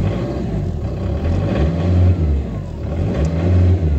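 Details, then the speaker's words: 2006 Peugeot Partner, about 191,000 miles, restarted after clearing BSI codes with a cheap OBD reader to fix crank/no-start, not yet warmed up: steady drone swelling and dipping every couple of seconds; high, hunting idle, cause unconfirmed. "would it start foreign do I have high revs you give the engine a chance to warm up first"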